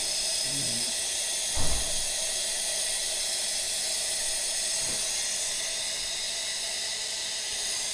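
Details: Brand-new A.O. Smith electric water heater, just installed and partly disassembled over a low outlet pressure complaint: steady soft hiss of trapped air escaping the open line during filling, one handling knock; normal venting.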